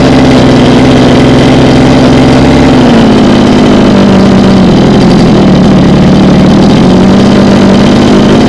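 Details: Small two-stroke mini water-pump engine on premixed petrol, after the fuel-starvation surging fault was fixed: it idles steadily with an even beat, speed drifting slightly then settling, so it is running normally with no surging or stalling.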